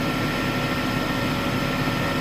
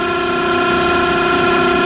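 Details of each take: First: Smithy AutoMate CNC LT1440 lathe after spindle replacement, previously shook badly; even, steady hum with light whir, no knocking or wobble, machine perfectly still; spindle runs smooth and healthy. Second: Smithy AutoMate CNC LT1440 lathe, 2 years old, about 800 spindle hours, before spindle replacement at 1800 rpm, about 83 dB; loud steady high-pitched whine, constant bearing tone; worn, rough spindle bearings.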